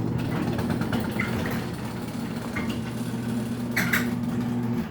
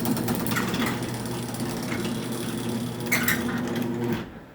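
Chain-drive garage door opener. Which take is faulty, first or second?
second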